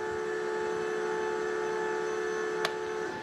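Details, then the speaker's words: Solectrac 25G electric tractor: steady mid-pitched whine from the electric hydraulic pump (power steering, lift) holds, then stops with a click when its dip switch turns it off; normal pump whine. "so if I turn that off now no hydraulic pump so we know what the wine is that's actually helpful even on that mini excavator we showed a few days ago we were wondering what the wine was it's certainly the electric pump here it goes back on"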